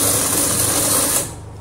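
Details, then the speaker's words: Twin-tub washing machine drain pump running: fast buzzy rattle over a dull hum; a small buckle caught inside the pump was found after disassembly and removed, and the noise went away completely. "هذا الصوت يعني عم يجي من المضخه"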